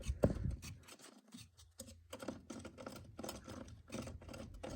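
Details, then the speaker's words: 1998 Polaris XLT 600 snowmobile drive shaft bearing turned by hand: gritty, scratchy crunching in uneven bursts; worn, to be replaced, jackshaft bearings are good. "you can hear that bearing crunching it's it's not good so Jack shaft bearings are going to be replaced"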